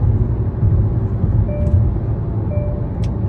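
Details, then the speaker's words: Hyundai engine with low compression, driven at highway speed under load and still smoking slightly: deep, even drone with no knocks or misses; pulls cleanly and runs well, healthy engine under load. "oh yeah she she can get up and go she's running real good yep"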